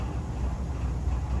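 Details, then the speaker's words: About 50-year-old Sears gas furnace after blower motor replacement, burner lit and blowing heat: low, even fan hum with no rattles, squeals or knocks, much quieter than the loud old motor; normal blower operation. "you can see the flame is going and you can hear the fan going and it's blowing heat and it's much much quieter than it was"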